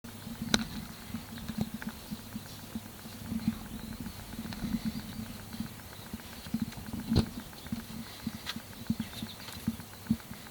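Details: 2005 Nissan Sentra 1.8-litre petrol engine running with a low hum and a stream of sharp bottom-end knocks; number 3 connecting rod big-end bearing is shot.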